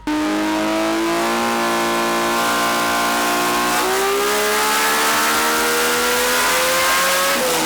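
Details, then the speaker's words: RB engine on the dyno under full load after plug and lead change: note climbs smoothly and steadily with no stutter or popping; earlier misfire now gone. "That misfire sounds like it's gone, Chris. Yeah. Sounds like it's gone."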